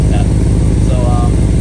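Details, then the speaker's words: Holden VT Clubsport V8 at idle: deep rumble with a sharp puffing tick on each firing pulse from a big exhaust leak where the pipe is splitting just after it exits the cat; owner thinks it may explain sluggish driving. "it's coming from right here on the uh where the pipe comes out of cat it's not even a joint but there's a pretty big leak all the way from here there up here it's it's actually really bad the pipes splitting off the"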